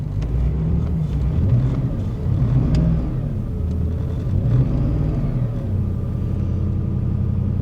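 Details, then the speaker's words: Auction minivan with flashing check engine light: low uneven idle that lopes and stumbles; engine misfiring and running badly. "it's definitely misfiring TPMS lights on but it runs"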